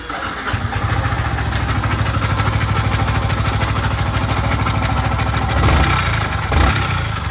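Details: 2020 Yamaha MT-15 V1 with only 400 km: a fast, rattly top-end clatter rides on the idle beat and rises with a throttle blip. Timing chain thought unlikely at that mileage; rocker, tappet clearance and camshaft were checked.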